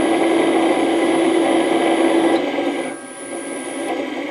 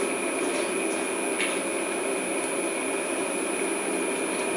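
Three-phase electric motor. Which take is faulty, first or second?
first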